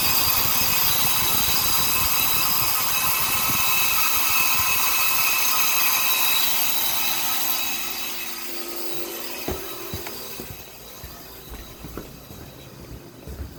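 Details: Copeland compressor running with a harsh, hissy, high-pitched noise that holds steady, then fades as it cuts off while the fan keeps running; abnormal compressor noise, cause unknown.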